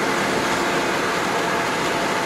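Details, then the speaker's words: Citroen 2CV on a test drive near 60 after fixing a passenger-window whistle: steady road and air rush in the cabin, no window whistle. Only slight noise remains, coming from a gap at the door top; quiet by 2CV standards. "There's certainly no wind noise coming in from that window now. A lot quieter. I mean, by 2CV standards, this is very quiet."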